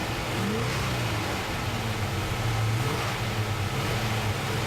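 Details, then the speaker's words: Old truck engine revving with a thin squeal that follows the revs, from worn, poor-quality accessory drive belts slipping on the pulleys; the squeal stops after a few revs. "Listen to that squealing belt. You hear it? It'll quit in a second. Get it, rev it a few times, it'll quit."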